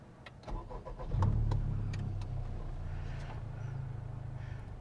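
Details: 2021 Honda Civic Type R Limited Edition after fitting a JDi Ghost Lock tracker and fuel-cut anti-theft device, codes cleared: short crank catches at once and settles into a smooth, even low idle with no stumble; a healthy start.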